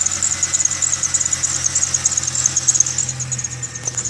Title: Video of squeel/chirp noise